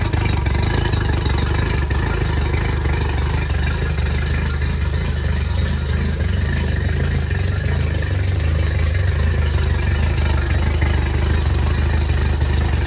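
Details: Yamaha T50TLRD 50 hp outboard after head decking and a new head gasket, running rough with an uneven, stumbling beat and dropped pulses; misfire.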